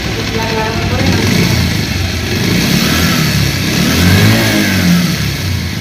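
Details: Old second-hand Bajaj Pulsar whose sound changed and grew very rough when hot, despite earlier valve, timing chain and balancer replacement. A dry metallic rattle rides over the exhaust when revved. Worn cylinder and weight (crank) bearing noise, fixed with a new cylinder.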